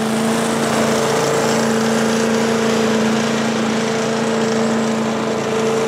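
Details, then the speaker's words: 1985 Billy Goat leaf blower with Briggs & Stratton 8HP single-cylinder engine, after new spark plug, oil change, air filter and replacement fuel tank: steady even high drone with constant fan whir, no hunting or stumble; started easily, running healthy. "now started pretty easily and uh blows the leaves around pretty good so I could just make my way right on out to the curb and uh Happy real happy"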